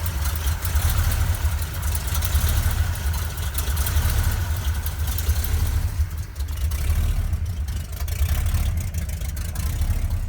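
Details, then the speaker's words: 1971 Ford crew cab, freshly rebuilt 352 FE with new cam, open glasspacks, still cold: deep, lumpy, rhythmic lopey idle from the cam; cold surging suspected from PCV valve or vacuum leak with about 13 inHg vacuum. "It has a fairly noticeable idle with that cam. Kind of like it."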